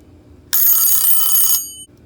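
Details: Westclox Leland alarm clock after servicing the movement. A bright, rapid alarm bell ring lasts about one second, then stops cleanly. The alarm strikes evenly and works properly.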